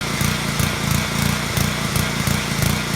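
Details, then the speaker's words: Surging, hunting small petrol engine on a lawnmower or pressure washer, speed rising and falling in a quick uneven pulse; attributed to a pilot jet passage in the carburetor clogged with varnish or debris, starving fuel at idle. "your lawnmower or pressure washer sounds like this, you have a surging engine."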